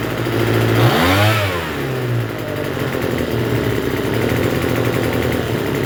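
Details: Troy-Bilt TB272V two-stroke leaf blower after turning the single-D carburetor mixture screw out about one and a half turns: blips up, then settles into a fast buzzing idle instead of a slow tick-over; runs but idles a little high.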